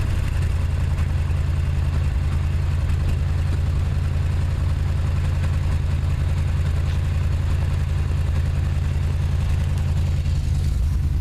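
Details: '79 Chevy truck 350 V8 with automatic choke at idle: deep, lumpy idle with an uneven low thump that keeps stumbling; compression test and clean plugs show sound bottom end, no oil or fuel fouling; persistent misfire, cause unknown.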